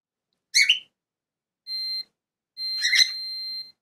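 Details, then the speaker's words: HDMI switch modification, multimeter continuity test between ground pin and wires: short steady high beeps, one brief and one longer, where no continuity was expected on a second wire; cause not found. "to i na tym drugim z dziwna sytuacja Powiem wam szczerze że nie powinien mieć piszczeć na dwóch"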